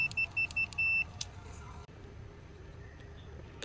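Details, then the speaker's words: Honda Lead SCR 110, over 10 years old, with an intermittent horn. Multimeter continuity and resistance check on the horn switch after cleaning its dirty contacts and connector: sharp beeps with each press, ending in one clean sustained tone. Normal continuity, good contact. "tiếp đến ta lại kiểm tra thông mạch và điện trở công tắc còi thông mạch rất tốt và nhạy điện trở"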